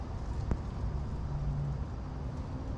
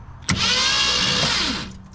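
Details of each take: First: 1966 Mustang off the road since about 1987, after a solenoid bypass and starter reinstall: after a pause the starter bursts into a fast, free whir with no cranking, as if there is no flywheel. The owner suspects a missing flywheel tooth. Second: 1966 Mustang off the road since about 1987, cranked with no spark plugs fitted after installing a replacement starter: quick, free-spinning starter whir just over a second, no grinding or drag; starter healthy.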